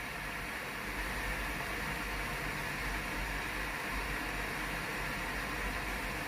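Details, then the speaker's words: Tefal BL967B66/870 blender heater after repair of unresponsive controls and L6 error: steady hiss with low rumble as water heats toward boiling at about 25-26°C reading, no clicks; heating works. "ตอนนี้เริ่มมีความร้อนแล้วนะครับได้ยินเสียงหม้อต้มกับน้ำต้มน้ำเลยนะครับ"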